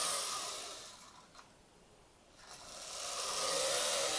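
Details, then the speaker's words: B9 robot arm rail system driven by a Sabertooth 32X2 motor controller with Kangaroo X2: the drive whirs as the carriage extends, then gives one sharp click near the end of travel. The cable at the bottom flops over itself and drops, causing a jerk. "um the cable down the bottom it it flops off itself and it creates a little bit of a jerk"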